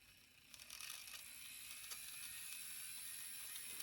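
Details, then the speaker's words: Bowser K11 4-6-2 model steam locomotive, kit-built, unserviced about five years, run on bench during tune-up after regreasing gears: faint thin high-pitched whir with dry scratchy edge; dry motor bearings need oil. "motor needs a bit of oil too you can probably hear the uh bearing noise from it there"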